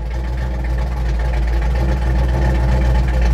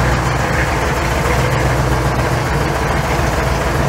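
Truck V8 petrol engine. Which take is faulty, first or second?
second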